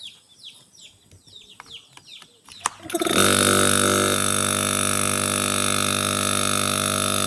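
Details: Refrigerator compressor stuck, causing the fridge not to cool: after a quiet start a loud steady hum comes in and holds flat with no start-up change; locked compressor humming but not starting.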